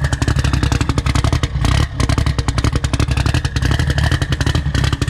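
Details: Toyota billet 3TC drag car at its first start-up. Lumpy, hard-hitting beat picks up cleanly on each throttle blip, with no knocks or misses. A healthy idle and revs, before dyno tuning.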